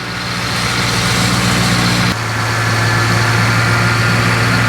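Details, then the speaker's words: 2007–2021 2WD Toyota Tundra 4.6L V8 idling after power steering rack replacement and refill with transmission fluid, wheel turned lock to lock: low uneven hum and gurgle as air purges from the pump; power steering pump aeration noise, no leaks. "So, I've got somebody in the vehicle turning the steering wheel all the way lock to lock. And you can hear all that air working its way out of the pump."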